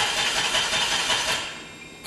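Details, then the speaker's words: DeLorean on a cold start, shortly after a big backfire: short, hissy cranking that never catches and dies after two seconds. "one more try it just does not seem like it wants to work on a cold start"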